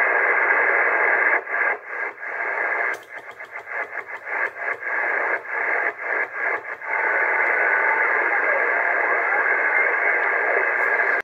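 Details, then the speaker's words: Cobra 148 GTL CB radio, no fault, receiving with no band propagation: steady even hiss with brief choppy breaks in the middle, then clean hiss again; normal receiver static, reception working. "Não tem propagação, mas ó. O rádio tem recepção normal."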